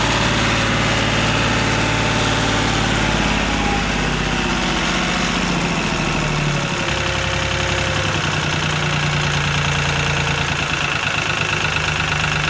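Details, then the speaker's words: Lister ST3 three-cylinder air-cooled diesel on an old sewer jetter, first start after purchase, cranked without decompression: even clatter at steady idle, no stumbles or odd knocks; runs great. "well there you go you can't ask for any better than that little 400 scrap yard deal cool little three cylinder air cooled diesel engine"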